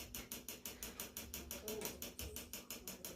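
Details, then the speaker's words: RO water purifier making a "kat-kat" noise. Sharp, dry clicks about twice a second, a little uneven, over a faint pump hum. Loudest at the solenoid valve, which will be disconnected to test; the pump is also noisy. Solenoid valve clicking, cause unconfirmed. "सबसे ज्यादा आवाज SV में आ रहा है तो हम सबसे पहले क्या करेंगे इस एसवी को डिस्कनेक्ट करके देखेंगे कि पंप से आवाज आनी बंद होती है क्या"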